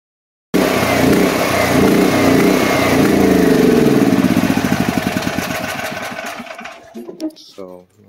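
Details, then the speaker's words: DuroMax XP13000EH generator on gasoline with the fuel valve shut off to run the carburetor dry for storage: it runs steady, then hunts up and down in pulses before sputtering out. This is surging from fuel starvation. "but you could hear the revving up and down up and down up and down because the engine was being starved from fuel"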